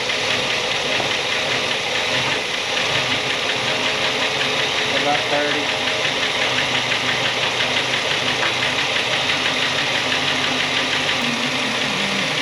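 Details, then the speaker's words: Buick Electra 225 V8 original engine rescued from a fire, after suspected rod knock; connecting-rod bearings done: busy, even running with no knock through the clatter. Bottom end sounds healthy. "[Music] I know I don't want to run the wall oh my goodness that sound good"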